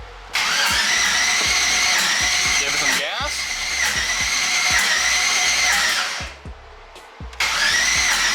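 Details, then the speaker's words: 5.3 LS in a twin-turbo Mustang right after a BTR Stage 4 cam install, fuel pump priming; starter whirs at a steady high pitch with uneven compression pulses and never catches; crank no start. "um ah it no started now i think i'll check everything over make sure everything's still plugged in correctly everything looks good i know the fuel pump's priming"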